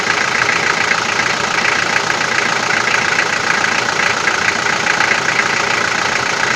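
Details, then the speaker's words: Toyota 4B diesel, cold start after injection pump repair (plunger pair and nozzle replaced), glow plugs warming: sharp fairly regular knock three or four a second over idle, easing as it warms; cause unconfirmed. "так сейчас заведу машину штук будет сильный пока свечи накаливания маленько не подаст минут потом чуть послабее а когда обороты упадут прогревочные штук будет немного слышала"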